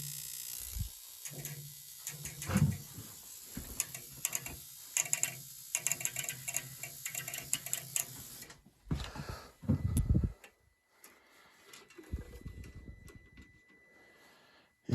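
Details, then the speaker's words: Weil McLain EG/PG 35 steam boiler, installed 3 months ago, being serviced for a low-water cutoff failure: the damper thunks open, then fast dry ticking from the electronic ignition module with no burner light-off, an ignition lockout caused by a disconnected ground wire. "did not like that. Did something. Oh, my ground wire. I got to reconnect my ground wire."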